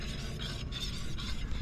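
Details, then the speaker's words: Acura RSX rear wheel hand-spun on jack stand, good side: soft rhythmic swish from ceramic brake pad contact, no growl or rumble; normal wheel bearing with light pad drag, unlike the other side's highway hum from a failed bearing. "So now if I spin this, I don't know if you guys can hear that, but then this one when I spin it, you just hear brake pad. I got I got ceramic brake pads, so they're loud. So there's no noise."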